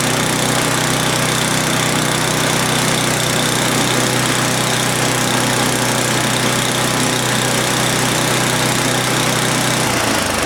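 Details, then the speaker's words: Old Craftsman snowblower, bought as a non-runner, first start after repair with fresh gas, fuel on and primed: small engine runs fast and even with a steady drone for about ten seconds, then winds down; normal running. "we're going to prime it i've already turned the fuel on put fresh gas in there oh it's sounding good"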